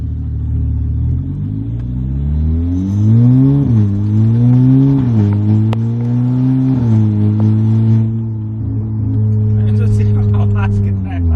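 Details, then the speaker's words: Skoda Octavia TSI with ECU/TCU tune, at full throttle in third or fourth gear: loud raspy, hissing engine note from an exhaust leak at the loose clamp joining the downpipe and mid-pipe. "so 100 it's the clamp right beneath us right now it's not one of the clamps over here on top so uh the basically the clamp that's joining the down pipe and the mid-pipe that's what's"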